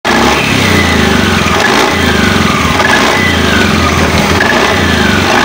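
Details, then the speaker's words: Honda Beat CVT scooter revved: a rough, gritty rattle rises with speed over the engine. Worn CVT rollers and sliders and a cracked drive belt. "motor matic kalian bunyi kasar saat di gas ini yang perlu kalian ganti"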